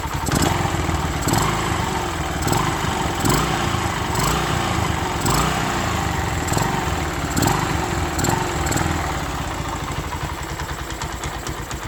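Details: Honda Sonic 125 idling normally after fuel line replaced and extra fuel filter added, following a no-start three days after repair with new spark plug and carburetor; part left unassembled to check for fuel flooding; small single steady putter with sharp slaps.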